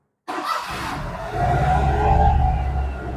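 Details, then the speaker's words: Perodua Myvi 1.0 / Perodua Viva, running again after a faulty ECU was diagnosed; restarted with the throttle body dirty and not serviced. Engine catches, then idle climbs and hangs too high with a wavering hum, so the idle is uneven. "throttle body kotor nih, kalau dia pandai rest terlampau tinggi, idle-nya pun tidak cantik."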